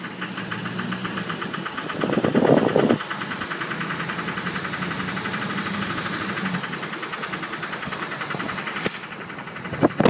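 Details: 2006 Duramax LLY diesel at idle: an uneven knocking, roughly three to four beats per second; the source is unknown.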